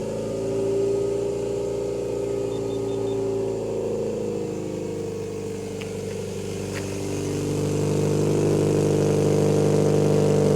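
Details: Scion tC with ZPi exhaust, naturally aspirated: loud, raspy, droning exhaust note at idle and revs from a holed muffler and burnt-out gaskets, a bad exhaust leak.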